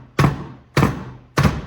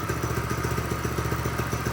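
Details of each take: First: Predator 212 engine from a mini bike, turned over backwards by hand: three heavy metallic bangs and the engine won't turn. There is a large hole in the case, and the cause is a broken connecting rod. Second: Tractor Supply mini bike with Predator 212 single-cylinder after it would not start despite spark, fuel and air: even quick idle with steady firing and no misses once the non-venting gas cap was opened.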